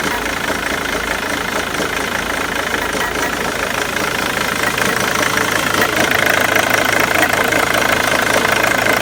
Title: Mondeo 2.0 tdci titanium 2006 rough idle